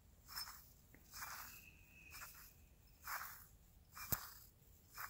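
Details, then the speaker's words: Onewheel hub motor stock factory bearing, rusty and poorly waterproofed, turned by hand: dry crunchy rasping in short bursts where it should be silent; replaced with ceramic bearing. "you can hear that it's noisy this shouldn't make any noise yeah not good"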